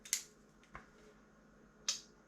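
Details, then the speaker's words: Honda ST50 electrical fault, key on with a connector wire unplugged: quiet room, sharp irregular clicks about a second apart as the auto-reset fuse keeps tripping; dead short to earth remains, not caused by the linked wires. "it still trips so it's still got a dead short it's not the fact that these two are linked up"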